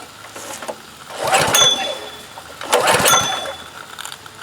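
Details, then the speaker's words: DeWalt DP3100 pressure washer with Honda engine, curbside find with rusted tank, contaminated fuel and dirty carburetor: two short sputtering bursts of firing that die within a second each; starts briefly then dies, likely not getting fuel through the carburetor. "fun and again so we just get a brief shot but does look like our pump's going to work looks like our engine will run also we just need to clean it up and do a little carburetor work"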